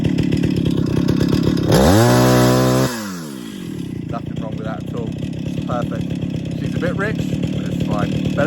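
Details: 50-year-old Stihl 031 AV Super chainsaw after full rebuild, first start and tune: steady idle, slight bog from fuel in crankcase, then clean sharp climb to full revs and back; normal throttle response, running a bit rich.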